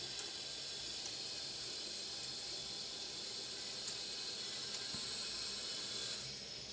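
A steady high hiss of spraying water with faint drips that holds level, then eases; water is escaping from a faucet supply fitting.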